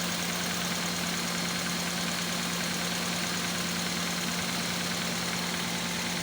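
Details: Toyota Corolla EFI petrol engine idling with a low hum and an uneven stumbling beat from a cylinder misfiring.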